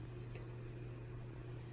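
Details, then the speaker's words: Lenovo IdeaPad Yoga 11S after installing Linux: constant low whir of the fan stuck at full speed from power-on, never ramping down, no display, no boot, BIOS unreachable. "so basically you hear the fan running at full speed nothing on the display and it never boots nothing ever happens other than the band just staying on the entire time"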